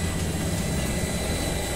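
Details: Electric water pump after a leaking seal was replaced, steady even motor hum with strong water flow and no knocking or grinding; the seal area stays dry and the pump runs normally.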